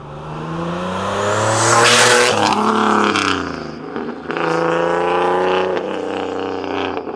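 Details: Boosted single-turbo Nissan 370Z Nismo accelerating on a nearly 100-degree day after an exhaust leak was fixed: revs rise and fall cleanly through the gears, smooth, even exhaust with no ticking or puffing; sealed, healthy.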